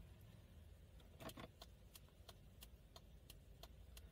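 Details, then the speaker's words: Fiat Palio whose turn signals had failed from a faulty BC body control module; after fitting the module back, hazard flasher clicks evenly about three a second over quiet idle; working normally. "é só no bem o lado esquerdo e eu vou ligar o pisca-alerta"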